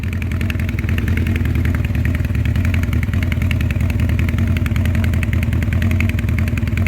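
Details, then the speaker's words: 1984 Honda CB700SC Nighthawk, running on half choke, won't run without choke, cylinders reportedly ball-honed: fast, lumpy, stumbling idle with clattery ticks; sounds like only a couple cylinders firing, misfire. "sounds like a couple cylinders are firing"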